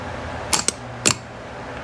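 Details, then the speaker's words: Car starter tested: a few sharp metallic clacks a fraction of a second apart, no spinning after — solenoid powers the bendix but starter motor won't spin, car won't start even with jump start; starter failing, needs repair. "If you hear that sound in your car The starter should be failing It won´t start even if you jum- start it"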